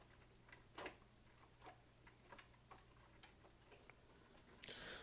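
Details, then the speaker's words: Inexpensive coffee maker while brewing: faint, irregular light clicks over a quiet room. The owner is unsure whether the clicking is normal. "do you hear that you hear that clicking I don't I don't know if it's supposed to be clicking like that but whatever"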